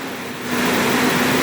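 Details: 1998 Ford Ranger after fuel pump replacement, started first try: engine settles from a light blip back to a smooth, steady idle with an even hum and no misses or knocks; runs healthy.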